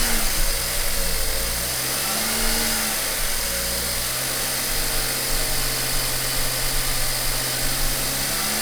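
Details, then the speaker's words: BMW 1 Series N43 engine, run after DIY bottom-end rebuild for spun bearings and low oil pressure; steady even drone held at about 2000 rpm for a five-minute run, no knocks, ticks or misses; sounds healthy. "okay I'm going to start the engine again and run it for five minutes at about 2,000 RPM"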